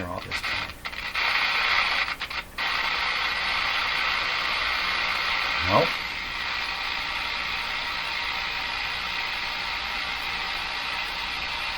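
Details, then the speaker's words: Jewel Model 505 vacuum tube clock-radio, hum at turn-on then volume up; sharp crackles and brief dropouts, then steadier hiss; owner suspects connection at volume control, later checks plate screws and finds them tight. Crackling and cutting out. "what is going on here [Applause] the volume control suspicious of this connection right down in"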